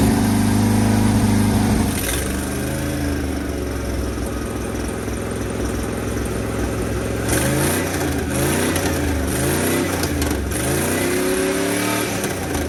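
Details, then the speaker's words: 1980 International Scout II, engine seized at start, now running and burning off crud and diesel from the cylinders: steady idle swelling into smooth revs, pulling cleanly with no misses or knocks; runs well but needs a carburetor, ATF leak. "This one seems like it wants to run real well, actually, in my opinion."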